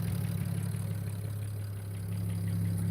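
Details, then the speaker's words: BMW E92 335i warming up after valve cover gasket, spark plug and coil pack replacement: even steady low idle with no ticks, misses or hunting; engine runs smoothly. "let her warm up a little bit though I'll let her warm up just a little bit nice man nice she sounds good"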